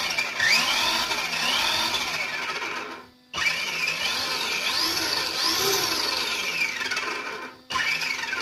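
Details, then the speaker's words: Kyosho Outlaw Rampage PRO RC truck after installing part OL009, during differential break-in with throttle blips on the right side. The motor whine sweeps with each blip, with no clicking or grinding. The truck is inherently noisy but sounds like new; normal drivetrain. "and overall, you know, this truck is a noisy truck. You know, I mean, that's something that we just can't deal with. That's just, you know, a manufactured thing. But I will say, you know, this thing sounds like new."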